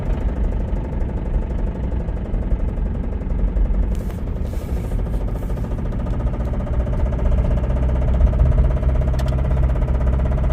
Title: Limped my Rod Knock Camry Home!